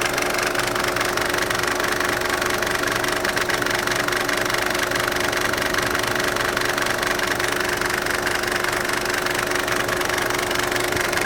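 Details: Mercedes OM602 diesel after idle knob on injection pump turned down from 1100 to 750 rpm: rough idle with uneven rhythmic knock about three a second over a steady whine, near belt tensioner and water pump.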